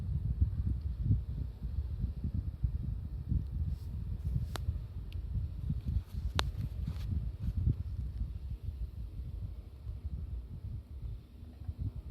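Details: New Mitsubishi MSZ-HR25VF indoor unit, the second on a multisplit system: a low hum broken by occasional single sharp cracking knocks; the knocks are quieter and rarer than on the replaced units but persist on both indoor units.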